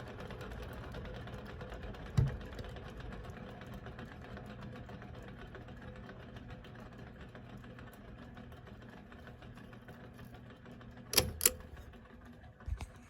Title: A perfect example of very bad bearings